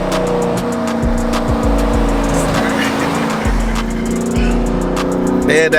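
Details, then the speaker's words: Dodge Charger Scat Pack 392 V8 at idle with a ragged, uneven exhaust note and a loose rattle; owner suspects an exhaust valve not opening, making the muffler sound busted; cause unconfirmed. "that rattling noise is the damn um valve thing not opening bruh making the whole muffler shape ah it sounds so busted"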